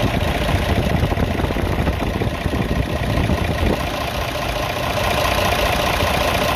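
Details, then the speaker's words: Hino FM 1J 500 truck, J08C/J08E diesel idling: rough shaky churn with airy fan rush; vibration (worse when accelerating) from a bent, wobbling crankshaft pulley and bent fan. "और दूसरा जो है इसका पंखा भी टेढ़ा चल रहा है पंख वीडियो में शायद आपको वजह नजर ना ए सका हो मगर इसका पंखा भी टेढ़ा है पंख की वजह से भी ये वाइब्रेशन करेंगे"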